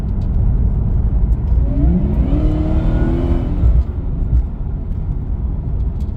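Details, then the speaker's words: Ford BA Fairmont supercharged V8 on a drive after tensioner work that had earlier still left a knock: deep rumble with a whine rising in pitch while accelerating, louder than before; judged much better, though the tail shaft centre bearing can be felt when cruising and needs fixing. "I can tell you just by accelerating a little bit, it sounds a little bit louder."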